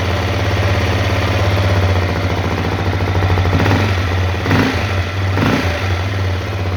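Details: Honda CRF250L idling with a low, loping thump and a loose, uneven tapping about three times a second; engine knock, cause unconfirmed.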